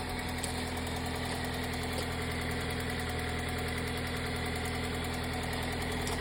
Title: Ticking Noise 2005 Toyota Matrix XR AWD 258K miles 1ZZ motor